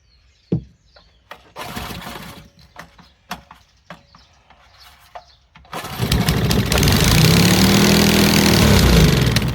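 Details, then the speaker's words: Old Briggs & Stratton engine salvaged from trash, hand-choked: several pops and failed pulls, then catches with revs surging up and sagging unevenly; governor not holding speed, linkage bent, fuel pouring out. "I don't think our Governor's working oh nope it just popped off of there it's got an issue with the governor for sure"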